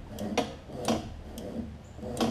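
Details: Free Lawn Boy push mower that had no spark because the blade stop cable wasn't flipping its switch; after the cable was kinked to take up slack, crisp single clicks come about every half second. The lever now trips the switch properly.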